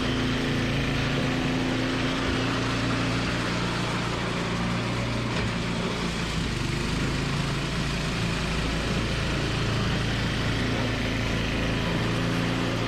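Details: Toro 521 snowblower after replacing a blown drive belt: small single-cylinder engine holds a steady, even beat with no slipping squeal or knock; healthy, normal run.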